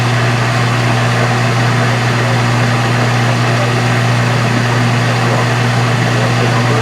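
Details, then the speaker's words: 1990s Kenmore Ultra Wash dishwasher with a failing motor, recorded with the kick plate off: the motor reverses into drain, giving a loud steady low hum with water rushing into the drain; drain pump motor running. "That went in reverse, and I hear water going in the drain."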